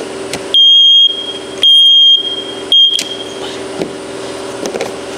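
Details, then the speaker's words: First Alert smoke detector with a 9V battery fitted, clicking inside before being blown out with an air compressor, sounds three loud high-pitched alarm beeps with no smoke present, the same false alarm it had been giving. "That beeping is exactly what it was doing for for"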